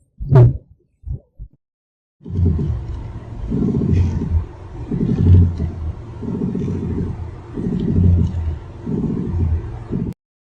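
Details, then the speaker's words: Heard from inside the car while turning the steering wheel back and forth: low, rough creaking knock rising and falling about every 1.5 s, from a suspension ball joint. "Let's listen to another noise that can be heard from inside the car when operating steering wheel."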